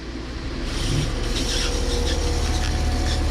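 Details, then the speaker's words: Water pump in a DIY RV van build (2008 Freightliner MT-45) running with the shower tap open: quiet, low steady hum with no stutter or surging; pump operating normally. "so like it's on right now it's quiet you turn the water on"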